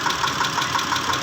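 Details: 2010 Mitsubishi Pajero, 6G74 V6, at idle: a sharp, even ticking knock about six per second over a steady idle; engine knocking, cause undetermined.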